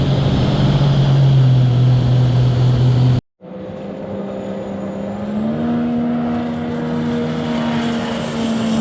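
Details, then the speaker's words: A Stage 2 2020 Sea-Doo RXT-X 300 and a Stage 3 RXP run on a hot day with full tanks. One gives a deep even drone, the other hums higher and climbs smoothly. Both pull cleanly and sound healthy. "all right that one sounds like it's doing pretty good this one's also doing pretty well"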